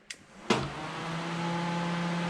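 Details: 1UZ-swapped Ford Falcon: electric cooling fan switched on gives a click, then a soft whir spinning up to a steady hum with no scraping; it hadn't worked because of a missing fuse, now running normally.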